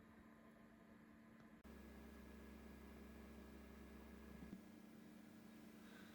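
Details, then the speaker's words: HP Pavilion Slimline S5300UK desktop running: steady whirring drone with low hum and faint high whine; the cooling fan is noisier than it should be. "The other thing I didn't mention, this is the HP Pavillion Slimline, and the fan's a little bit noisy on it, as you can hear."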